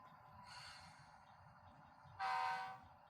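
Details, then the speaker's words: Walthers Mainline GEVO ES44AC model locomotive with DCC sound at maximum volume on track: faint low rumble then a thin short horn blast barely louder; weak output from speaker without enclosure, before speaker replacement. "That is the loudest that it gets. The horn should be the loudest, and I mean, you can hear it, but you can't hear much beyond that."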